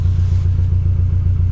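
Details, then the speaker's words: Engine at a salvage auction running rough: deep lumpy rumble pulsing unevenly and not firing cleanly, dash lights flashing, smell of raw gas, messages for the tire pressure system and a turn signal out. "she doesn't sound good look the lights are flashing what is oh these lights are flashing too this jerk is having some problems man"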